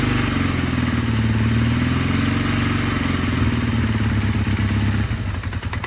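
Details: Honda Rebel 450 motorcycle engine, valves already adjusted: heavy, uneven knocking clatter over a low exhaust note; owner has no idea of the source, suspects bottom end or cylinder head. Engine knock, cause unknown.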